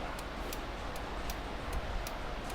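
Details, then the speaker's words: American Ironhorse Texas Chopper V-twin, revived after sitting for years: turn signal gives crisp, even relay clicks about every third of a second; flasher working normally. "so it does about 19 flashes and it shuts off on itself so that's pretty cool"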